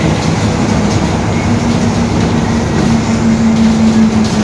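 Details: Marcopolo Torino S bus, 2021, Mercedes-Benz OF-1721 BlueTec 5 chassis, lengthened, urban service; steady low hum under drive noise, drifting slightly higher toward the end with road speed; growling rear differential.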